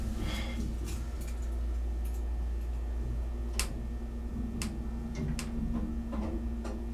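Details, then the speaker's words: Sound (Rotary/Dover) hydraulic elevator, 1200 lb capacity: scattered sharp clicks at uneven spacing over the running pump's steady low hum; doors have previously stuck open, door lock suspected. "yeah this thing's had some issues with the doors I think when I filmed this thing the doors got stuck open"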